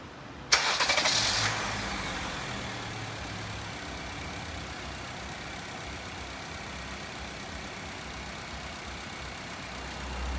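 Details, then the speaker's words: 2017 Honda WR-V after replacing the AC compressor, which had a loud internal fault: engine starts and settles into a smooth quiet idle, AC on fan speed 3 and recirculation while the refrigerant charge stabilizes, no grinding or rattle; normal compressor operation. "a gente liga o carro coloca na velocidade 3 na posição recircular e a gente vai agora estabilizar a carga de gás"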